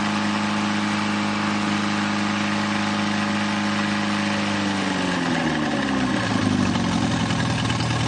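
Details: Newly rebuilt 2.1L TR4A four-cylinder, first run test, up to about 3,000 rpm: steady even drone climbing smoothly with revs, no knocks or rattles, little vibration; well balanced, normal running.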